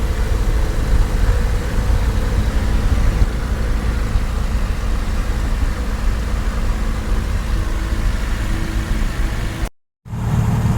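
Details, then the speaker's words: Jabiru aircraft engine with Rotec liquid-cooled heads, TBI and E-ignition, warming up with mixture at full rich, coolant pump on, idling about 800-1000 rpm: steady, even low rumble with no misses, knocks or hunting. Normal idle. "So the engine's ticking over nicely at about, well, seems to be probably nicest at about 900, 1000. I mean, it's idling nicely at 800."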